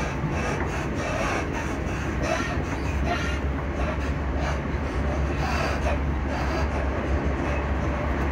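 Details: Class 334 electric train underway near Edinburgh Park and Haymarket: steady deep rumble with recurring hollow thumps and rattles, noisy suspension, cause not yet pinned down.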